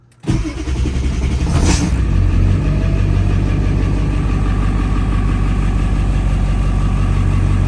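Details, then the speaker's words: 7.3 Powerstroke diesel in a Bronco, start with newly installed Jones turbine muffler, heard from inside the cab with a window open: cranks, catches and settles into a steady, deep, even idle with muffled low rumble; normal. "i mean it's a big engine it's a loud engine but a lot of the noises come from right up here it's not really that bad"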